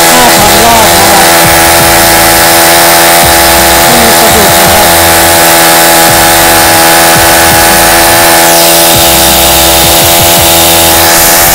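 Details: Honda GX35 brush-cutter engine, freshly rebuilt with a new cylinder liner and rings, petrol test run: screaming at steady high revs, clean and even with no rattles or misses. It runs healthy.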